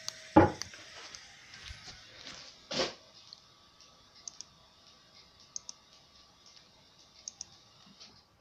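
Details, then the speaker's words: 2000 Opel Astra G, 1.6 16v X16XEL, rough idle, no power, stalling: actuator test on cylinder 2, sharp evenly spaced strong spark snaps over a steady fuel pump hum; fuel pressure about 3 bar unregulated. Normal spark and pump operation. "Suntem pe pe cilindrul 2. Se aude și pompa de benzină. Da. Și avem și scânteie."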